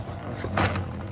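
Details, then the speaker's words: Rear of vehicle raised with parking brake off, wheel spun by hand: other side spun smoothly, this wheel gives a low, rough growl and is hard to turn; suspected bad wheel bearing. "Man, that don't sound good. Yeah. And it's hard to turn to. Yeah. Something going on there."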